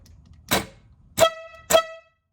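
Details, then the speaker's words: 12V horn bench-tested off the vehicle on a homemade Milwaukee M12 battery power box via momentary switch: a click, then two short clear blasts at steady pitch, each cutting off cleanly; horn works normally. "Now, where the momentary switch comes in real handy is if you're trying to test something like a horn, where you know you don't really want it to stay on. If it just blips, that's good enough."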